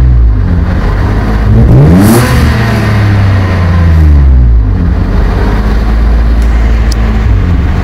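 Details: BMW E34 520i at a high, oscillating idle with two throttle blips that settle back unevenly; it later stalls in Drive and won't restart. Owner suspected a vacuum leak; the intake air temperature sensor was found reading -36°C.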